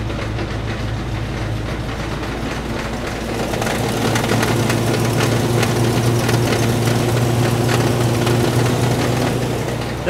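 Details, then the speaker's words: 1964 Buick LeSabre just pulled from years of barn storage: rough idle with a steady knock over a heavy rumble. Owner suspects a loose flex plate or torque converter and possibly low fluid; it gets quieter when driven. Noisy engine, cause unconfirmed. "although that car didn't seem like it struggled at all boy that's noisy"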